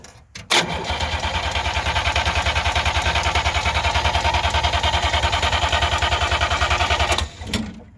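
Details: 1958 DKW pickup, three-cylinder two-stroke, long unused: about three cranking beats a second for six seconds, never fires; temporary substitute tank propped on wood, gravity feed with no fuel pump, line pushed on without a clamp; crank no-start, fuel supply suspected.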